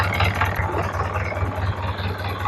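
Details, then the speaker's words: Isuzu 4HL1 electronic truck diesel after parts were reinstalled and timing reset: a steady, even idle with a smooth low hum, quiet, with no knocking or rattle. The earlier internal knocking is gone. "So yan guys ang ganda ng andar niya. Matining, walang kalansing, hindi maingay."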